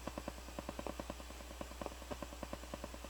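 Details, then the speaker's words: Crown CSC-850F stereo, previously repaired and returned by the buyer, in tape mode at full volume: uneven clicks and pops about two per second over a low hum where only hiss belongs; owner suspects a dirty record switch, unconfirmed. "So there's a noise. I don't know what it is. Probably coming from the recording bar switch. It needs to be cleaned again."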